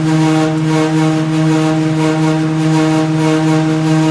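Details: Samsung dryer DV42H5200GW running with barely any clothing: sudden loud steady droning hum with a faint pulse about one and a half times a second; cause unknown.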